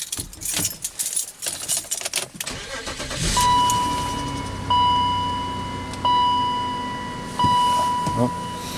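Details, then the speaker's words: BMW X5 petrol engine with the mass airflow sensor swapped in from another car starts and settles into an even idle with no misfires while a warning chime repeats; it also runs fine in reverse, in drive and under brake torque. "it's good no misfires so this is the mass airflow sensor from the from the black one and it runs fine"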